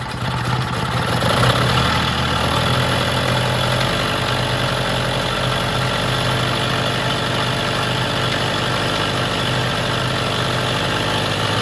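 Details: Vintage Jacobsen greens mower small petrol engine with temporary fuel tank, fuel shut-off and filter fitted, started off choke: catches and settles into a steady, even run with no misses or knocks; sounds healthy, normal running.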